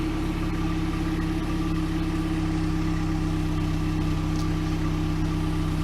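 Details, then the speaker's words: 1998 Pontiac Sunfire after the old muffler was sawn off and replaced with a new OEM muffler: steady, even low idle hum with no rasp or leak ticking. Much quieter than before, exhaust sounds healthy. "you're not just a backyard mechanic great sounds way better"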